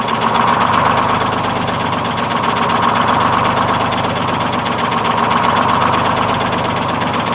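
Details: 1948 GMC Silversides PD3751 Greyhound bus, Detroit 6-71 two-stroke diesel after in-frame rebuild: steady busy drone at fast idle, even and unbroken with no knock; healthy, good response, normal idle and revving.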